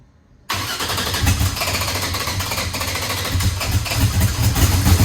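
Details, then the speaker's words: Eagle Talon engine just converted from Pro EFI to Holley and rewired: catches after cranking into an uneven lumpy loping beat, seemingly running on one side only and pouring fuel out of that side; cause not yet found. "yeah it's got something going on that's running on one side it's not full"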